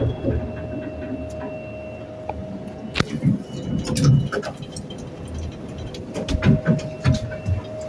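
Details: Noisy elevator car at Nathan Hale Gardens: low rumble with a faint steady hum and irregular thumps and clunks as the car travels; noisy running, cause not evident.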